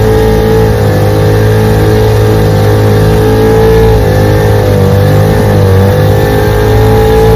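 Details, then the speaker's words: Restored 1947 Johnson HD-25 2.5 hp outboard on lake test after replacing broken carb intake manifold and adjusting carb settings: steady, even two-stroke buzz at constant throttle, pushing john boat about 3 mph; runs great. "Here we are out here running the motor. JV's 2.5 horsepower. Out here on Toledo Lake, running her. She runs great."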